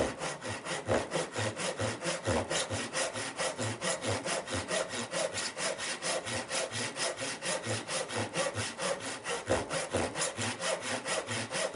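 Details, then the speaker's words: Irwin tenon saw before sharpening, cutting hardwood: uneven, catching rasping strokes about two per second, skipping badly, slow to start and slow to cut; owner suspects the set of the teeth. "I can definitely hear it and feel it. It's just skipping and jumping like there's no tomorrow. And you can probably see the speed that it cut at. It's just it's very slow."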